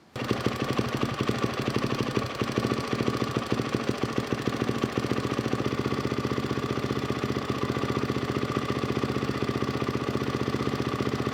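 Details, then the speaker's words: 1999 Yamaha WR400F with a Kawasaki KX450F carburetor, fuel mixture screw being adjusted: single-cylinder idle thumping about three beats a second, uneven, stuttering and stumbling rather than crisp. "Now you can hear the bike is stuttering, so I'm just going to wind it back in."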